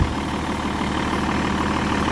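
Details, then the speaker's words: BMW E61 525d, M57 diesel, at idle just after replacing the accessory and AC belts: low smooth even rumble with no squeal or chirp; belts sit nicely without movement, sounds about right. "See how she goes. Sounds about right."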